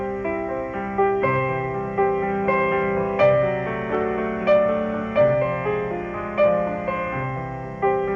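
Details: GE A-70 radio after recapping, resistor and wiring replacement, and a new cone fitted to the electrodynamic speaker that had distorted audio: piano music plays clear and even with no rattle, buzz or crackle under a soft hiss; speaker healthy.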